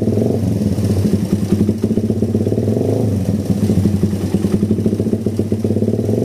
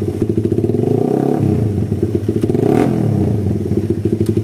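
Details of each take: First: Suzuki Satria FU motorcycle with a faint tick that stumbles and dips on gentle throttle; the exhaust is too big for the stock factory vacuum carburettor. Complaints include heavy pull and hard morning starts, and the camshaft was found scraped. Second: Suzuki Satria FU motorcycle (complaints of poor clutch, slight engine ticking, heavy pull, hard morning starts) after fixing hesitation blamed on an oversized exhaust with a stock vacuum carburetor and too-small jets: throttle blips up and settles cleanly, no more stutter, smooth throttle response.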